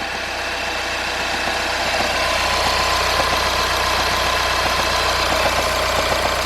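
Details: 2014 Passat TDI at diesel idle just after a new injector was fitted and coded, check engine light cleared: a quick, fairly even rattle about four a second over the clatter.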